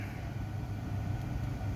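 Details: 2011 Jeep Grand Cherokee (WK2), after fixing no-crank/no-start with code P0622 caused by bad ground straps, replaced with new braided ground straps: low, even idle rumble, steady with no stumble or misfire; idling normally.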